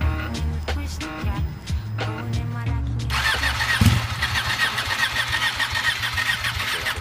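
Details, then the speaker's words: 2014 Ducati 899 under 600 miles, start button pressed while rotating throttle: starter cranks in uneven bursts, engine catches briefly with a rough rasp then cuts off; hard starting, cause not pinned down. "I'm basically going to push the start button at the same time while rotating the throttle to get the bike to start and it cuts off"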